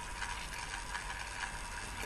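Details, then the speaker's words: Car driving on highway, recorded by the dashcam: dry fast crackle over steady road hiss that varies with road surface, coming from the dashcam itself, not the cabin; dashcam crackle. "слышно треск так вот этот трещит не в салоне автомобиля это треск видеорегистратора раздражает он вот из-за такого качества звука которое зависит от состояния дорожного полотна"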